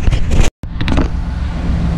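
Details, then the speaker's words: 1997 Chevrolet Camaro 3.8 V6, sat over 10 years, after fuel pump replacement: steady, even low rumble with no misses or knocks once settled; runs smoothly. "Yeah, it runs pretty good now. Got it cranked up."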